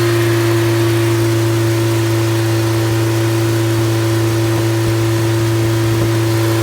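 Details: Completely rebuilt MG Midget 1500 engine (~1978-79), bored 0.020 over, flat-top pistons, 270 cam, 9.5:1 compression, run-tested with no muffler: loud, steady, even four-cylinder run, constant tone, no knocks or misses; healthy.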